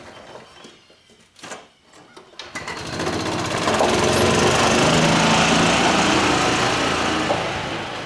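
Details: Club Car golf cart, stored 4 years, after water was worked out of the system and a water-seized pivot point was believed to be the cause of quitting, in forward gear: clatter, then a fast even buzz steady under load, normal running.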